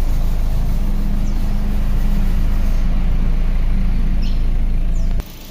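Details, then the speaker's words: Suzuki Ertiga petrol engine at idle after a tune-up and carbon cleaning of the combustion chamber, owner blames low-octane Pertalite for carbon: even, steady low hum without knocks, ticks or misfires, so smooth and quiet it seems switched off. "sangat halus nyaris tak terdengar Ayo kita dengarkan dari dalam Ya harve m900 sunyi senyap seperti mobil tidak menyala"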